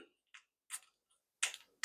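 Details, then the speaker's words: Craftsman weed eater 2-stroke carburetor on bench during rebuild: light dry sparse clicks as the small metering diaphragm is flexed; diaphragm overly stiff and sticking. "I don't know if you can hear that it's making a little bit of a clicking noise which means it's overly stiff"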